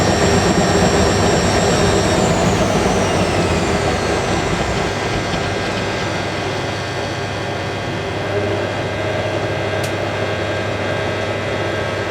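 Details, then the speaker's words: Hotpoint 9530 Electronic 1000 Plus washer, twin bedding load, after repair of burnt mains-lead neutral wire, final spin: clean motor whine gliding smoothly at high speed, no thumping or banging; well balanced. "That is probably the smoothest spin this machine's ever done on YouTube."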